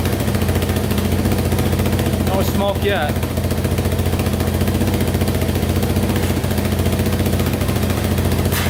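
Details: Yamaha Wolverine 350 4x4 ATV after top-end rebuild to cure smoking: steady, even single-cylinder putter at idle with no misses, knocks or stumbles; the engine idles cleanly.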